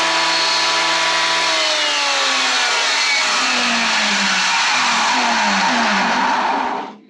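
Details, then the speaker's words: Old Delta thickness planer on its first run in a while, after fixing a faulty switch clogged with sawdust. It winds up with a high whine and a gritty rasp, then spins down. Sounds rough; owner suspects the bearings, unconfirmed. "um sounds like i might need to pull this guy apart too and maybe check some of the bearings it sounded kind of rough"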